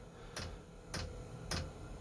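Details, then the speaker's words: Eberspacher or Webasto diesel heater on a boat, started by thermostat set to 21.5 from 20 degrees: sharp evenly spaced ticks about every half second over low hum, the fuel pump dosing normally at startup before firing. "it's gone orange here you can hear the pump clicking on and starting and firing up"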